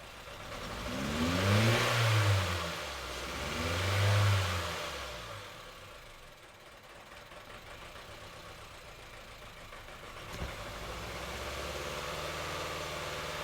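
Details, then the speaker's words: 2010 Honda Civic 1.4 i-VTEC with fuel tank cleaner added: two quick revs then idle with occasional stumble; odd misfire remains on cylinder 4, none on 1–3; injector fuel delivery issue, dirty fuel or clogged injectors. "you can see that we still have the odd misfire and cylinder 4 but nothing on three nothing on one another two"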